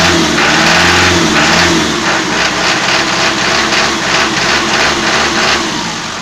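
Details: Toyota 4B diesel knocking after injection pump repair (plunger pair and nozzle replaced), cold in frost, settling after a rev: fast rattling tap about three a second, easing as revs drop; cause unconfirmed.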